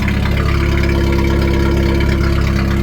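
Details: 1991 Jeep Wrangler YJ 2.5L four-cylinder, muffler previously cut off, first start after new battery and coolant top-up: loud raw open idle with deep steady thrum and exhaust bark; straight-through exhaust without muffler.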